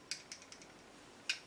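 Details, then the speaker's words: Rex RS500 Speed scooter freewheel clutch turned by hand: crisp, light, unevenly spaced ticking clicks; the freewheel ratchet engages cleanly and works fine. "gucken wir uns den freilauf jetzt nochmal das heißt freilauf pfeil auf funktioniert auf jeden fall also das ist schon mal okay"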